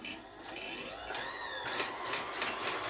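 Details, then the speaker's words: Janome Combi sewing machine/serger combination struggling to drive: thin, patchy whirring as the motor spins freely while the machine barely turns, a sure sign of the loose motor drive belt slipping; belt to be inspected and tension adjusted. "tries you can hear the motor spinning there and that's the sure sign of the belt slipping there"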